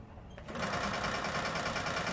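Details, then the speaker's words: Old air compressor, rated to 100 psi, running on a newly installed power cord after a rewire: the motor kicks on after half a second and settles into a steady, even hum. It runs normally with no sparks and climbs toward 100 psi, though an air leak that kept it from filling is still present. "it's running no sparks now let's see if it gets up to 100 psi first test it's definitely popping up 100 psi here"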